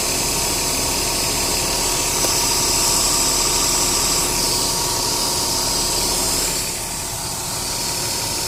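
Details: Ford Taurus Duratec DOHC 3.0 V6 idling with AC on max: uneven stumbling beat through hissy background, cylinder 2 misfire worse with AC; ignition misfire fixed by new coils, plugs and wires.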